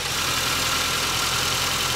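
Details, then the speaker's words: 1980 Porsche 924, first cold start after sitting decades, still needs work; microphone held up to engine: slightly uneven, hissy exhaust note, keeps idling but running a little rough, cause not pinned down. "it is running a little rough but hey it's idling there it is"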